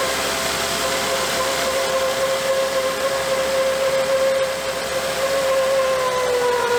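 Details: 2006 Volvo S80 T6 B6294T 2.9L, first start after timing belt, tensioner and water pump replacement: steady mid-pitch howl over smooth idle from the timing cover. Owner suspects imperfect belt alignment. Cause not confirmed.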